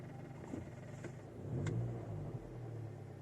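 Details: 2006 VW Golf V GTI at idle: low steady idle with sharp irregular knocks from the lower right of the engine; fuel line hitting the chassis due to engine imbalance, possibly fixed by securing the tubing.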